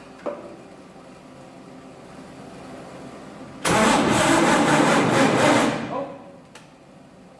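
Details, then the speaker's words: 1948 Chevy truck engine unrun 30 years, diesel in oil pan, gasoline primed through vent tube into carburetor: two seconds of steady, even cranking that never catches; no start because the new ignition coil wasn't hooked up, no spark. "forgot to hook up the coils it ain't gonna start without Spark dorky me"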